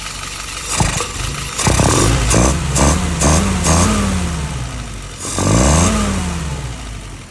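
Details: Restored F-head engine with a YS 950S carburetor on test, idling at 700 RPM, dwell about 39, vacuum 19, fuel pressure 3.75: engine picks up crisply on each quick throttle blip and drops back cleanly to idle, no stumble or popping; normal throttle response.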